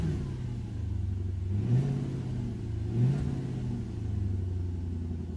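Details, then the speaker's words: 2003 Infiniti M45 V8 after swapping a failed ignition coil that caused a cylinder misfire; revs up cleanly and settles to an even idle with no miss, slight exhaust leak suspected at a resonator. "still has a little slight exhaust leak but I don't think it's anything major I think it's one of the resonators but wow that sounds good"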